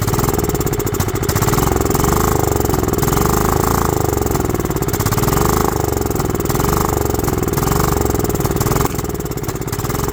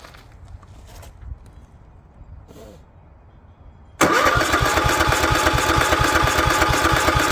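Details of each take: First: Goat-trampled Craftsman lawn tractor, 16.5 Kohler engine, restored tank, new fuel filter, fuel solenoid jumpered: ragged surging single-cylinder run, lumpy beat rising and sagging; fuel starved, carburetor or fuel solenoid suspected. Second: Craftsman lawn tractor, Kohler 16.5 single-cylinder engine left outside on a goat farm, air cleaner and linkage refitted, on choke: fires abruptly and settles into a steady even run, no misses or knocks; carburetor gummed up, to be replaced, but runs good.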